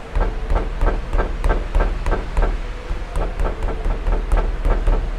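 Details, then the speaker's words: Honda CR-V, customer complaint of suspension noise: sharp, regular knocks about three a second over a low rumble; suspension had no play; the cause was play in the steering rack, a chronic fault on this car, to be replaced. "o cliente aqui reclamando que tinha um barulho na suspensão olhei a suspensão toda não tinha folga nenhuma tudo direitinho só que esse carro aqui ele tem um problema crônico na caixa de direção tá"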